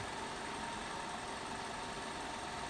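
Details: 2006 Toyota Avensis with a P0303 cylinder 3 misfire code, at idle: steady, even idle with constant hum, no stumble; clean coil current ramps, misfire fixed.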